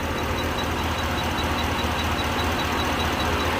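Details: 2014 Ford Raptor 6.2L that cranks but won't start, with the fuel pump running and fuel present: the starter churns steadily at about 150 beats a minute and never catches; a spark tester at the ignition coil shows no spark.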